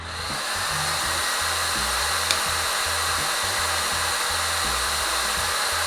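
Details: Yihua 878D soldering/hot air station, handpiece blower fan running after repairing a connector fault: steady airy rushing hiss with constant pitch, no rattle or catch; normal fan running.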